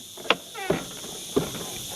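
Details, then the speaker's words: Mercedes-Benz W126 door, knocking four times as it is eased shut after the new striker was fitted and only partly tightened; the door has dropped slightly and hits the striker, so it needs lifting and adjusting from the front. "Can you hear the sound? It's knocking. So now when I'm looking a bit better, I can see that the door has dropped a little bit from here."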